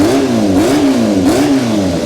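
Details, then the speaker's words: Yamaha FZR1000 EXUP, warmed up a little, revving: loud bassy raspy exhaust from a leaking exhaust collector with pinhole, worse underneath. "I thought you can weld that but I think it gets a bit worse under there because if we start it up yeah it's very loud yes it's very Bassy isn't it"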